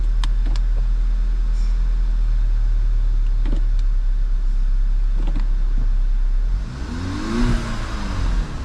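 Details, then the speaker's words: 2011 VW GTI towed in for misfire (low fuel pressure, fuel regulator code, smelled of gas) after swapping coils and plugs 1 and 4; steady, even idle with no skips, no misfires now, possibly intermittent: normal idle. "Or it's got an intermittent. Okay, I'm gonna have to do a little research and see why it's running fine all of a sudden."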